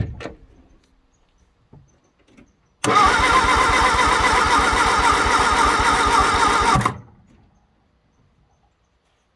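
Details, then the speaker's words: 1962 Vauxhall Victor, straight-piped, sitting 25 years, with a borrowed good battery: steady, even starter cranking at about four beats a second for four seconds with no firing; engine spins over but won't start. "engine spins over so getting that much closer to actually having this run"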